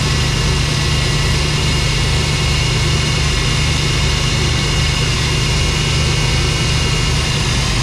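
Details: 1991 GMC Suburban 5.7 TBI, sat about ten years, first run with the fuel pump hotwired: engine holds a fast, steady idle that never drops to a normal low beat; high idle, owner suspects a missing vacuum line.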